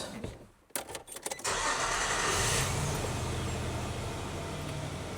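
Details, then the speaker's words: 2003 Nissan Frontier with deferred maintenance, after new distributor cap and rotor; clicks, then engine catches into uneven lumpy shaking idle, cylinder 4 misfire, no other vacuum leaks found, no improvement. "Now, luckily, this is a cylinder number four misfire. Well, maybe unlucky, but at least it's narrowed down to a single cylinder."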